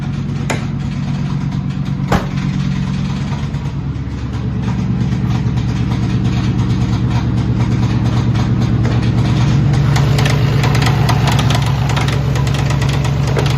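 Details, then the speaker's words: 1999 Ford Mustang GT 4.6 at a rough idle with a deep, regular knock about three times a second. Rod knock; the engine ran long enough to put metal throughout. "so in the end that motor is done the amount of time that it's been running with a rod knock there's metal throughout the whole engine"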